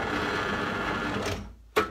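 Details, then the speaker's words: 2019 Lidl Parkside PTBM 500 E5 bench drill press: dense buzzing rattle from vibration in the upper housing, then winding down with a click as it stops; tightening an Allen screw nearly cancelled it. "It has vibrations on the upper part, which they cause this noise."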